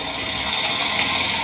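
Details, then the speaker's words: Bosch dishwasher door-lock check with the switch pulled out: holding a magnet near the door switch starts the machine with a steady rushing hiss like water filling; the door switch works normally. "but you'll hear the dishwasher start and it's kind of showing you how the magnet has to be in contact with this one part of the door I can hear it start up"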